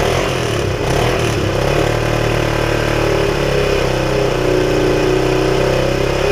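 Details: 1976 Honda XL175, all original, running on a used coil after washing and warming up to dry out; steady even single-cylinder idle with no misses, knocks or ticking, healthy before disassembly for restoration.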